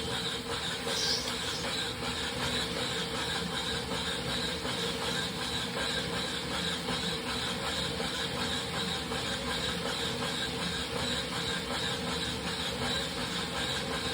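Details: Wahoo Kickr Rollr bike trainer squeals for about two minutes while warming up: steady high-pitched squeal with faint hiss over whirring roller, before a knocking noise takes over; cause unclear.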